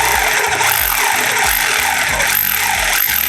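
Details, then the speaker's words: Mollar HD826 800 W SDS Plus hammer drill in hammer-only mode with a flat chisel, which only punches back and forth without rotating: short bursts of fast, even hammering buzz starting and stopping with pressure, no grinding; healthy. "nah ini dia hanya ee maju mundur saja ya dia tidak berputar ya saya pakai yang plat biar kelihatan dia tidak berputar cuma dia nonjok aja ya"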